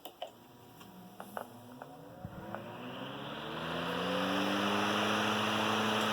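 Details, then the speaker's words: Antique Emerson 19646 12-inch fan, circa 1918, original finish, with replacement straight blades, switched to high: soft motor hum climbing smoothly in pitch as blades come up to speed, no rubbing or ticking; smooth, healthy running. "Let you hear how just a really smooth running fan."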